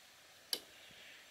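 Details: Hard-wired 2016 Polaris Sportsman driveway grader using ATV winch parts and the ATV battery: one sharp click as the handlebar winch switch is pressed, then quiet; the winch relay engages normally, confirming the circuit works.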